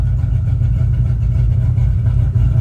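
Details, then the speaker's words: 2005 Ford Mustang GT 3V V8 idling cleanly with a deep, even rumble and no skipped firing after spark plug and coil work; O2 sensor and camshaft position sensor codes remain. "Okay, guys, well, you heard it. Sounds a lot better."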